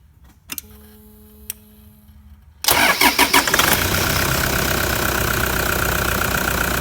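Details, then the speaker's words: Older, noisier diesel engine cold-started: after a quiet stretch it cranks, catches and settles into a steady clattery idle; normal cold diesel idle. "let's get this called clattery old diesel start it up and see what happens"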